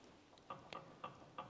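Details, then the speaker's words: Jawa 250 type 353 motorcycle at idle: sharp, even light clicks about three a second. Owner is unsure of the source and suspects a bearing, possibly the worn upper-end bearing; not confirmed. "tätä en tiedä mistä kuuluu tuo kuuluuko niinku laakerista ja se tyhjäkännilläkin kuuluu semmonen niinku klik klik klik klik klik klik."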